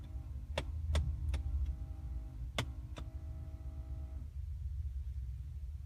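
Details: Car heating/AC system: sharp, irregular clicks over a steady low hum, lasting about 15 seconds when the heat or AC is switched on and when the car is turned off. The cause is unknown.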